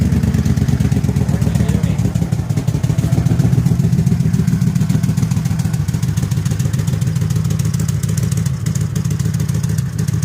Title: 01 crown vic, exhaust leak, and misfire.